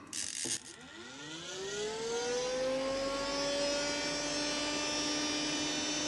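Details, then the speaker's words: Car radiator fan as 12V off-grid bathroom exhaust fan, pushing air out: siren-like whine climbs and holds high; blade rubbing on a wood splinter stuck at the fan edge, like a card in bicycle spokes. "But I got to figure out what sounds like an air raid siren right now. I think it's rubbing against something somewhere."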